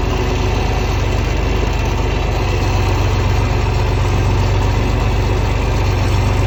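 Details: 1961 John Deere 4010 tractor with a 7700 combine engine swapped in (2015 conversion), started and idling after mowing: steady low diesel chug at about four beats a second, even and unbroken, no knocks or misses; normal, easy-starting healthy idle.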